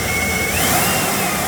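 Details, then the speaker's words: V8 van with a new Procharger supercharger, first start as the high idle comes down: smooth idle with a faint steady high blower whine, quieter than the Corvette. Normal idle. "That's pretty quiet. It's a lot quieter than the Corvette."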